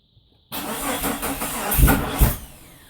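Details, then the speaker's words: 1999 Jeep Cherokee XJ first start after 7 months off, on old fuel, after header, starter, gaskets, thermostat, IACV and throttle body work: lumpy misfiring idle with uneven heavy thumps, far too high; suspected firing order issue. "o that doesn't sound good might be a firing order issue let's give another shot [Music] really rough idle and way too high I don't like that"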